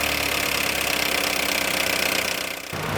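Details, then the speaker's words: Fiat Toro engine at idle with rapid light ticking, about four per second, a dry top-end clatter. Low engine oil pressure has scored the camshaft and roller lifters, and lifters, camshafts and oil pump need replacing. "esse isso daqui é baixa pressão de óleo de motor onde a gente vai desmontar Esse motor mostrar para vocês de onde vem esse barulho"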